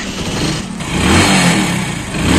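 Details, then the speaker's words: Motorcycle that misfired and jerked when cold, needing choke until warm, after the carburettor needle was refitted properly: clean rises and falls through short throttle blips with no stumble or popping; revs freely, normal revving. "Guys पूरी तरीके से race ले रही है गाड़ी"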